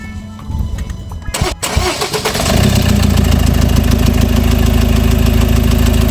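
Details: 2015 Peugeot Boxer diesel starting after a full oil service and fuel filter replacement. It cranks briefly, catches cleanly and settles into an even diesel clatter at a steady idle: normal start and idle.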